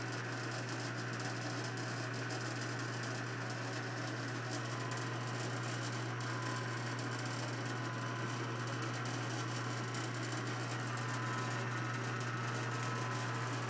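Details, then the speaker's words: Clausing 6315 lathe running under power feed: quiet, steady hum with soft even whir, no knocks or chatter; an earlier vibrating noise came from the unlocked table, not the machine; runs smooth and sound. "the Machine is uh you know very nice very smooth and that noise that was vibrating was uh actually uh down here I had forgot to lock the uh table"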